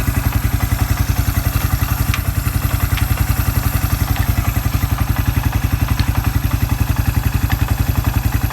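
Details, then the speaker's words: Suzuki Quad Runner 250 single-cylinder after restoration, exhaust refitted and new TC crank oil seal, driven slowly in low range and reverse: steady beat near four per second, no whine, grind or knock; transmission normal. "Transmissions running through all its cogs properly exhaust I think it sounds all right"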